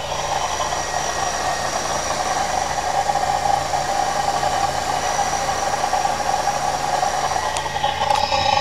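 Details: 1998 Camaro cold start: fast, dry, bearing-like rattle from the engine front over a steady hum, gone once warm; no overheating, little water pump pulley play; owner suspects water pump or a pulley bearing, not confirmed.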